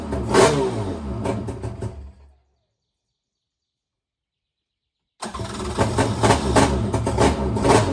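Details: Krash jet ski swapped to a 701 two-stroke engine, started on land with a little gas and a temporary throttle cable: fires readily, crackles and revs in short blips, cuts out, then picks up again cleanly; healthy start and rev.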